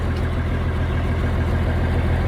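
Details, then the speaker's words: 1971 M35A2 turbo deuce-and-a-half diesel idling after the fuel pickup tube replacement, 24-volt inline fuel pump and new air filters: deep, even rumble with a steady beat, no knocks or stumbles. Healthy, settled idle. "i'm gonna show you all for those that are curious if it runs you can hear it for yourself runs pretty good"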